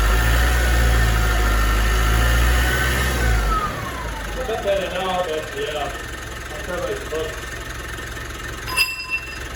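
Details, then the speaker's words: 2016 Mitsubishi MQ Triton Athlete with a popped boost pipe, after a rev: high whistle falls steadily as engine winds down; owner says the whine means a proper cooked turbo, replacement needed. "As you guys can hear, that's the turbo. The turbo is cooked. You can hear the wine coming from here. Listen to that. Listen to this. That's a proper cooked turbo."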